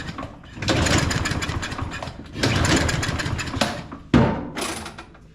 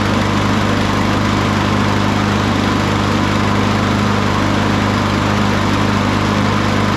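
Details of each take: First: Craftsman M230 push mower, hard to start and smoking, after blowing debris out of the air intake: three recoil pulls spin the engine without it ever firing; cranks but won't start, suspected flooded or stale fuel, not confirmed. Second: Craftsman M230 push mower after a tune-up and new blade: steady, smooth single-cylinder drone with no misses or knocks, firing up easily even while still wet; healthy running.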